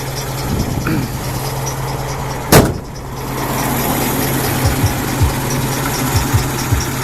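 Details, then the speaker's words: 1967 International Scout 800, carbureted, idling after a start on choke. Steady, even low rumble with no misses or knocks and one brief click; normal idle. "So here she is running. I'll go ahead and grab the throttle here and give it a little bit of gas."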